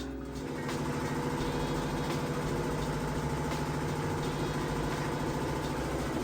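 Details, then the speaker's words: Samsung VRT HE washer on a heavy-duty hot cycle with a heavy load, spin building toward peak speed near the 2-minute mark: a smooth, steady low hum and even whir with no knocking or grinding. Normal high-speed spin. "This thing's actually still gonna get going even faster once it gets down to the 2-minute mark."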